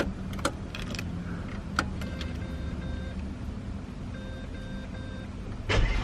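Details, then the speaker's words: 2000 Ford AU Falcon ute, automatic six-cylinder, running: uneven, raspy puffing under a low rumble with sharp clicks; exhaust badly holed and leaking near the muffler. "the exhaust is leaking pretty bad so yeah we'll get onto that and we'll pull it off and have a look at those Falls"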